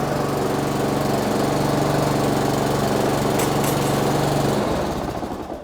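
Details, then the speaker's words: Honda GCV190 mower engine after service with new Denso W20EPR-U spark plug, air filter and 10W30 oil: strong, even rapid beat at full throttle, then winds down smoothly; sounds healthy. "Hey, that sounds good to me. That's great. I'll just give it another rev up to make sure it wasn't a fluke."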